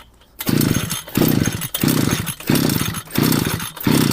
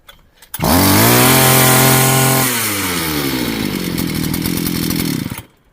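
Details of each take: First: Two-stroke string trimmer (brush cutter) deliberately flooded by long cranking on choke after refuelling from an empty tank: six recoil pulls about two-thirds of a second apart, each a short rasping turnover that never fires; engine flooded. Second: Two-stroke string trimmer (motokosa) after clearing a flooded cylinder: the wet plug was dried and refitted, choke lever down, started at full throttle without further priming. It catches at once, screams at full throttle, then settles to a steady, healthy idle.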